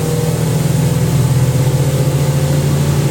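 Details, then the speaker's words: 1980s Ariston by Colston Electronic 3000 spin dryer, auto pump version, draining through hose: even, steady motor hum creeping slightly up in pitch at 3000 rpm, quiet, virtually no vibration or knocking; normal high-speed spin. "See the water getting whipped around? That's 3000 RPM. How quiet that is. pretty much no vibration either."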